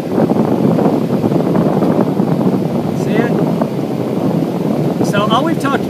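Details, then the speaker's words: HVAC blower after replacement of its ECM variable-speed motor (16-pin harness), on a thermostat cooling call as the speed ramps up; a steady airy rush with no grinding, rubbing or rattle, so it runs smoothly. "I hear winding see it if you look at it closely it's going to ramp up the speed here"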